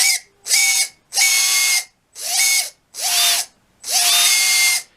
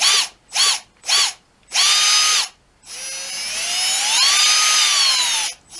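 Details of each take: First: Red Cat 550 brushed RC motor: six short throttle bursts with a sharp, high-pitched squeal over the whir, worst when letting off or at certain throttle points, coming and going. Owner suspects it needs lubrication at the shaft ends. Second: Red Cat 550 brushed RC motor from a Gen 8, previously squealing, after cleaning and fresh lubrication of motor ends: short throttle blips then longer run, clean whine rising and falling with speed, no squeal; healthy.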